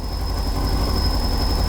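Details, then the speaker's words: Mazda MX-5 NB MK2 turbo engine build, just after first start: thin steady high turbo whistle over a deep even rumble as the turbo spools; normal. "You can hear the turbo whistling actually. A little bit of whistle on the turbo. It's spooling up there."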